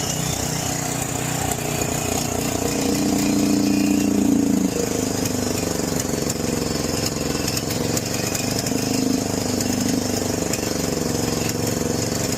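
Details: John Deere 6200-watt generator with a carburetor varnished by four-year-old fuel. Even after cleaning, with the choke fully off, the pitch wanders and surges every few seconds and the outlets give no power. A new carburetor was later fitted.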